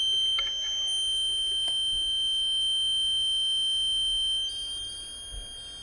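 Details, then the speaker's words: Pond float switch tipped to test newly wired low-water warning buzzer (pumps must not stop with many fish in small pond): constant piercing high-pitched tone for about four seconds, then fading; buzzer works as intended. "It's very high pitched, but you should be able to hear it, at least I will."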